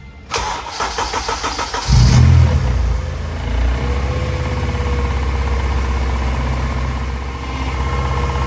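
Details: Honda Civic EG race car after shortening the top pipe: engine catches and idles with a faint steady whine over it, likely the power steering pump drawing air; foam is seen in the reservoir.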